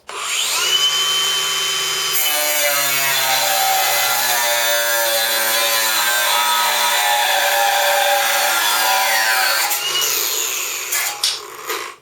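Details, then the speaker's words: Ryobi ONE+ 18V cordless angle grinder on standard battery, first cut with light pressure: high motor whine drops in pitch as the disc bites, holds through the cut, then spins back up; could stall under more pressure. Normal cutting. "That's not too bad. I think you could actually stall that if you wanted to."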